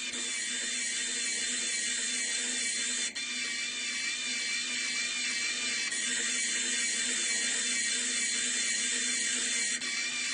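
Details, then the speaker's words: Homemade rudder servo worm gearbox driven by FIT0441 brushless DC motor at 12 V: high buzzy gear whine with a faint rough edge, amplified by the table but still poor lifted off; gearbox sounds strained, cause unconfirmed. "my view is that the gearbox is sounding as if it's under strain um let me just lift it off the table the table is amplifying that sound"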